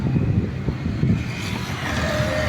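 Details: Hyundai Azera petrol engine idling with a steady low rumble and no knocking, after replacing a blown, dried-out hydraulic engine mount that had let the engine bang and make a loud noise inside the car.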